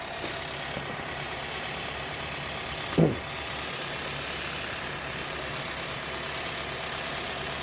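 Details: 2014-2016 Hyundai Sonata with code P0128, after thermostat and coolant temperature sensor replacement, heater on full: quiet even warm idle with a steady low hum and one brief bump near three seconds; idling smoothly.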